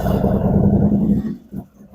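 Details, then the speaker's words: 2017 Harley-Davidson Ultra Limited 107 after Thundermax EFI install, first start: fires with a lumpy, uneven rumble, then sags and stumbles; rough running as air purges from the fuel line after fuel pump work. "Give it a minute here to try to level out. As you can see, it's leveling out, but it just takes a minute on a new startup. This one also had some fuel pump work done on it, so it had to clear out the fuel line, had to purge the line."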